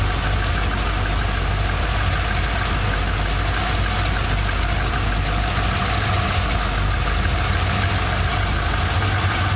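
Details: 1999 Holden R8 Clubsport Gen III LS1 V8, 250,000 km, first start after cam swap, idle propped up, no warning lights, temperature fine: warm steady deep rumble with mild even loping beat, no knocks or misses; normal lumpy cam idle.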